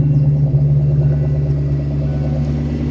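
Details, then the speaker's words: 1998 Kenne Bell supercharged Cobra V8 tuned on about E80 ethanol with fuel pressure at 60 psi: a deep idle that wavers and hunts instead of settling because of a bad idle air control valve; a replacement is on order. "I mean, listen to that idle. The idle air control is bad. We've got another one of those on order."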